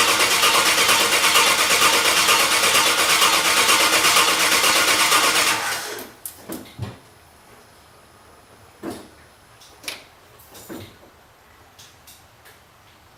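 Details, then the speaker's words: Engine cranks about six seconds evenly and fast but never catches; starter spins fine, fuses look fine, owner thinks fuel pump not running; no fuel reaching the engine. "Well, no immediate start. Do I have fuel? Who the hell knows? All fuses appear to be hooked up."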